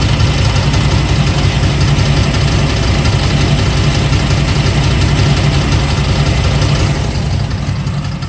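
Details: LT1 Camaro engine at idle: loud, heavy idle with a fast, uneven rattle over the low rumble; source of the rattle not clear.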